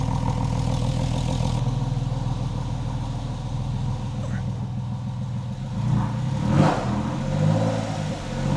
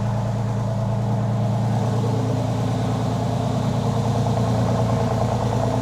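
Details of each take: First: Freshly rebuilt 3.8L Porsche 911 flat-six, first start after engine and transmission install, held at raised revs to warm up; smooth, even revs swelling with throttle, five bar oil pressure, healthy engine warming up. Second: Freshly rebuilt 3.8L Porsche 911 flat-six on first start, oil topped up, power steering fluid low: steady idle with a light, quick tick about twice a second from brand-new lifters still bedding in.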